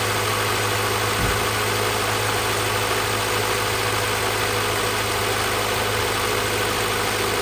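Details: 2000 Honda Civic Si (EM1) B16A after a head gasket, LMA, valve spring and retainer rebuild with valve lash adjusted: smooth, even idle with a steady low hum and no knocks or ticks standing out; healthy.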